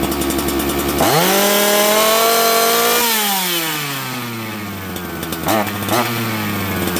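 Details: Auction-bought 266XP two-stroke chainsaw, just fitted with a new ignition after sitting, warmed up and run with the air filter off while the carburettor is tuned: clean rev to a high scream, smooth fall, crisp blips. Tunes beautifully.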